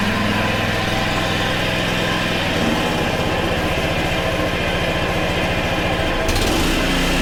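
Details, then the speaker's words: Honda HRC216 lawn mower, older unit: steady buzzy single-cylinder drone with rough, uneven chatter underneath while the blade is engaged; the blade clutch works but is noisy and worn. "well clutch works uh it definitely is a little noisy you're not gonna lie you shouldn't really hear these noises it's definitely worn it does work though"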